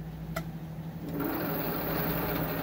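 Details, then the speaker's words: 1998 Club Car DS golf cart, rear wheel held while driving: electric whir rising to a buzzing drive hum, loudest with no load and quiet when accelerating or decelerating; noise is in the differential/transaxle, outer wheel bearing fine. "a few golf carts making that kind of noise hopefully we'll figure this out in a day or two if we get it all apart"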